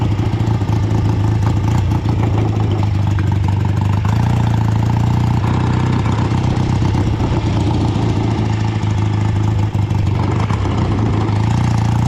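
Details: Home-built BSA twin chopper ridden about half a mile in rain on its first ride in years. A ragged, stumbling beat under road noise, one cylinder seemingly dropping out as revs climb: a misfire under load. Carburetor or ignition suspected; earlier fixes made no difference.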